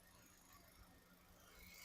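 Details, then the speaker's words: Used automatic car at 51,000 on the odometer, started first try, AC on: very quiet, smooth idle with only a faint steady hum, no knocks or ticks; engine healthy. "Engine beating అయితే చాలా silent ఉంది engine"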